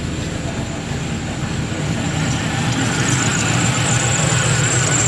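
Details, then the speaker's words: 1996 Impala SS with 5.7 LS swap, cold day: with the A/C clutch commanded on through the tune, a steady V8 idle holds at a raised speed, smooth and even with no misses or knocks; idle-up and A/C blowing cold are normal. The A/C fault was in the tune. "and it's idled up as it should with the AC on, and it's blowing cold."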